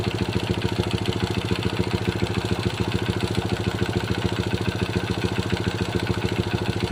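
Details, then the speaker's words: Honda Supra Pit New four-stroke motorcycle from the 2000s, after timing chain replacement with fresh oil and cover refitted: even single-cylinder idle about 3.5 pulses a second, no rattle; chain noise gone, piston and crankshaft bearings still suspected. "Oke teman-teman, tadi sudah kita dengarkan bagaimana hasil akhir setelah kita melakukan pergantian rantai timing. Rantai timingnya sudah oke, tidak mengeluarkan bunyi berisik lagi."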